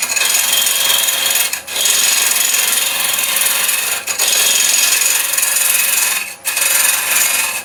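Hard, high scraping hiss in long even passes with brief pauses between cuts; a crisp cut into hard resin, nothing wrong.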